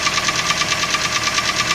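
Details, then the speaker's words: Toyota 3SZ 1.5 L engine, about 88,000–89,000 km, knocking both cold and warm: sharp metallic knocking about seven times a second riding over the idle, crisp and regular; piston slap, a known weakness of these engines. "болячка на многих на этих моторах что вот этот стук с поршневой идет потому что без вариантов"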